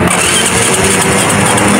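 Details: Suzuki Smash motorcycle after replacing worn starter-dynamo brushes and the crushed starter drive gear (rough noise on electric start): short run sounds strong and even, no grinding or clatter; normal electric start.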